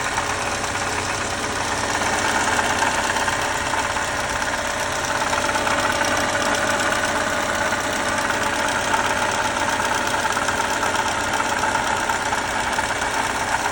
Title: 2018 Lexus IS 300 bad water pump sound